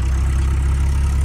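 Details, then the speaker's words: VW Polo G40 engine, smoking a little, at idle with good charging; steady low drone with a faint irregular knock underneath, owner calls it a bad noise, cause unclear. "Maintenant, ce bruit de merde."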